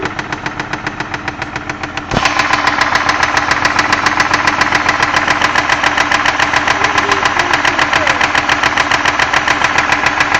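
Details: 2001 Ford Escape 3.0L V6 at steady idle: sharp, very regular knocking about 3.5 per second that grows louder partway through. Cause unknown.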